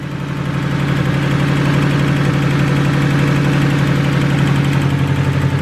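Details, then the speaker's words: $500 Honda Del Sol, first start, cold and not run in a while; low steady idle with a fast regular ticking puff about four a second, which the owner suspects is an exhaust leak at the header; exhaust manifold leak. "sounds like we got a little exhaust leak at the header just means we got to put a turbo kit on it I guess"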